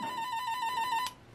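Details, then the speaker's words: Rental speaker replacement driver (the old one had a voice coil burned through), tested with a toner clipped to its terminals, out of the cabinet: clear steady high warbling tone with no buzz, rattle or crackle; works properly. "so let's give it a check and see if yep it works great that's what we want"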